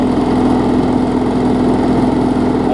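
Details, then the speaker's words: 2012 Bolens push mower with Briggs & Stratton 500 series engine, after stretching the governor spring: steady, even drone with no surging or misses, smooth running; normal running. "hopefully we'll have a good runner all right now we're running much better"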